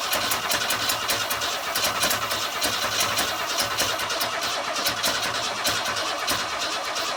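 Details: 1962 Ford Falcon inline six without a carburetor, on starting fluid after wiring the coil direct and sanding the points: ragged, uneven popping with no steady beat as it runs flat out. Rough running, maybe not all cylinders firing.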